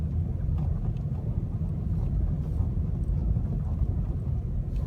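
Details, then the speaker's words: Restyled Opel Astra J, bad-roads package, 60,000 km, driving at -22 °C after front strut work fixing knocks over small bumps: only steady road rumble and wind, no clunks or knocks; quiet front suspension. "но сейчас вы просто можете послушать тишину подвески с амортизаторами"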